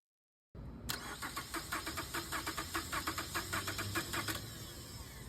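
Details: Starter cranking during a starter circuit voltage drop test, positive side reading 150 mV, under the 200 mV spec: steady starter whir with even compression pulses, about a hundred a minute, for three and a half seconds; healthy cranking, circuit fine.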